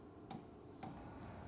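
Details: New Webasto 5 kW 12 V diesel air heater on first start from a new box, system still purging air: sharp single ticks about every half second over a soft fan hum, dosing pump priming normally.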